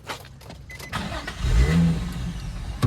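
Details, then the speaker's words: Drift car started after heavy rain: engine catches with rough uneven low rumble, sags and dies within seconds; stalls from water ingestion. "Whoa, don't fall off. And it stalled."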